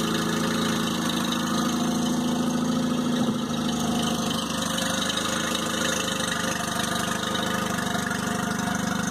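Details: 2002 Mercury 15hp four-stroke outboard, first start after storage and a lower-unit fluid change, on earmuffs in neutral while warming up: a steady, even idle hum with a light regular beat over water splash, no knocking or misfire. Normal idle.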